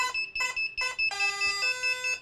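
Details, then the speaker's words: Eachine AR Wing Pro SE with iNav flight controller, battery plugged in while USB connected to configurator: short shrill beep bursts about twice a second with one longer tone; warning because USB is plugged in. "beeping is because of the USB plugged in."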